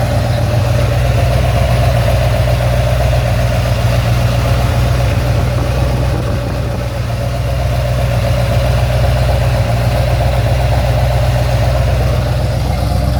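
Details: Ford XC GXL under restoration with a 351 V8, not yet warmed up: a smooth, even low burble at a steady idle of about four pulses a second, with no tapping, misses or whine. A normal, healthy idle.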